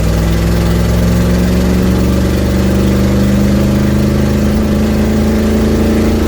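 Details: Ford Mustang 1972 with an exhaust leak, driving home, phone mic on the dash: steady low drone under way with a slight rise in pitch and a raw, rough edge.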